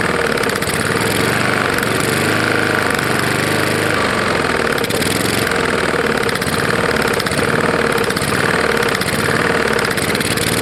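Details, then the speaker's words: Roadside-salvaged Lawn-Boy side-valve mower engine, 149cc, which had ingested dirt and grass: hard rapid metallic knock every revolution; owner suspects bad lower end or piston hitting the head, possibly debris packed in head. "i think i just wasted oil on it because i really do think it's probably got a bad lower end or something"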